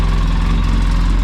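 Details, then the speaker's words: 2014 Polaris RZR 800S engine at first fire-up after a rebuild for bad rod knock, in neutral; steady, even low rumble with no knocking or ticking: knock gone, engine healthy. "Hey, that noise is gone. It does sound very good."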